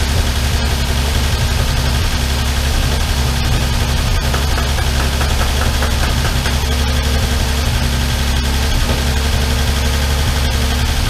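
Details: Armstrong Siddeley Star Sapphire special, hemispherical head, cold on choke just after first start in probably over 40 years: steady low idle with light, fast ticking that follows engine speed. All tappets a bit loose and need resetting.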